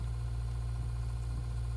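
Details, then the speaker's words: RV water pump after silencing fixes (accumulator tank, silencing hose kit), heard inside RV; only a soft steady low hum, no pulsing or rattle, barely audible; running quietly and smoothly. "And it's even quieter on the inside of the RV. You can still hear it a bit. I almost have to try and listen for it on this side of the RV."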